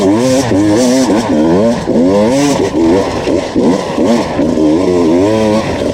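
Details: 2019 Beta two-stroke enduro test bike on a Finnish enduro track, screaming constantly with revs warbling and no added pull. It struggled through two laps and failed to climb a hill; the clutch was slipping.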